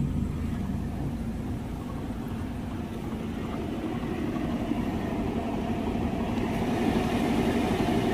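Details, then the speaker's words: Car at about 114,000 km, idling, heard from the front: a faint rhythmic wobble, about four beats a second. The noise comes from a loose, badly shaking radiator fan motor vibrating the radiator, to be replaced. "Oke terlihat ya nih radiatornya dia bergetar nah sumber suaranya dari sini bosku dan ini disebabkan ban motor radiator goyang lalu menimbulkan bunyi yang tadi"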